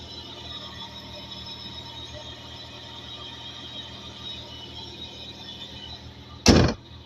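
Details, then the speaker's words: Hyundai Coupe (Tuscani) V6 at quiet idle, timing belt done under 500 km ago, accessory kit still good; faint steady high-pitched squeal then a sharp loud screech; owner suspects a pulley; engine squeal. "Vous entendez? L'espèce de... Pas normal ça. Un V6 j'en ai eu avant, ça faisait pas ce bruit là."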